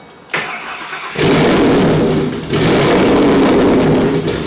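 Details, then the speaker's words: Freshly refreshed 2011 Ford Mustang GT, brand-new Coyote V8, first-ever startup after hooking up the trans neutral safety switch: catches quickly, deep loud even rumble, exhaust pulses bouncing off the concrete; healthy start and idle. "this thing rumbles like it's never Rumble before yes I mean the exhaust pulse is hitting the concrete and coming back at us"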